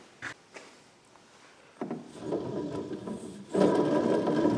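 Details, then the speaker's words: Generac RV generator with a vertical-shaft engine belt-driving the alternator: a few light taps, then rough, gritty grinding as the shaft turns, from a badly worn bearing near the top, with a slight amount of shaft play. "you hear that wow that bearing is bad real bad man"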